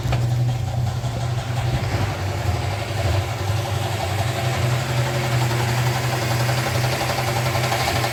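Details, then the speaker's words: 1965 Chrysler Valiant AP6 at idle with a new ignition switch and temporary setup: a rough, rapid, even knock rides over the steady idle. It starts first time and blows no smoke; the cause of the knock is not yet found. "so it actually runs real nice starts up straight away first time don't have to pump the pedal nothing but you heard that knock and"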